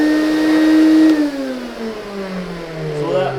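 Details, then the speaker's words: Lindhaus HF6 vacuum with electronic speed control, used secondhand, after cleaning; motor whine sinks in pitch as it winds down, tired and uneven, motor sounds like it is dying, blamed on previous owner; rough motor. "you can tell if you watched last the last vacuum of the month that motor sounds like that motor is dying and it's not a tribute to Lin house it's a tribute to the previous owner"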